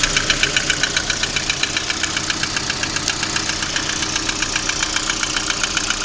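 Steady, fairly quick sharp ticking knock at idle, around three to four per second, riding over the engine; knock of unknown origin.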